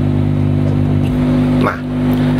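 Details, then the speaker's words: Speaker amplifier: steady low mains hum with buzzy edge, only slightly reduced after disconnecting tone control ground; jumper wire connected to chassis still causing hum, removing it cures — ground loop hum. "ini jadi dia sedikit berkurang untuk di bagian suara dengungan nya dan yang kedua disini karena masih ada menimbulkan suara dengungan untuk jam peran yang saya gunakan tadi yang terhubung ke bodi ini"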